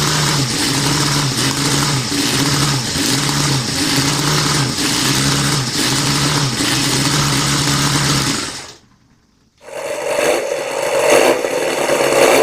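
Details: Homebuilt four-cylinder engine under 125cc (the CD125four project for a Honda Monkey) on its first test run. A busy, high-pitched buzz with a steady pulsing beat, briefly cut then restarted; it runs evenly.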